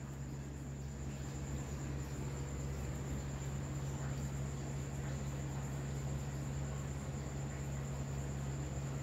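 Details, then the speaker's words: Desktop computer that gave four beeps and no display, now booting after reseating RAM in slot and fixing dust and overheating; steady fan hum, faint high whine, no beeps, Windows loading; normal boot. "दोस्तों हमारा जो mission है वह success हो गया है यहां पर देखिए मेरे कंप्यूटर की स्क्रीन तो यहां पर आ गई है विंडो लोडिंग होना शुरू हो गई है"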